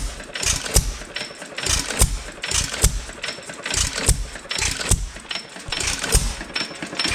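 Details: Roughly 100-year-old 2.5HP Alpha DeLaval hit-and-miss engine with Wico EK magneto and original spark plug, once used to run a milking vacuum pump: sharp firing bangs every second or so with quiet coasting between, steady even cadence; running healthy.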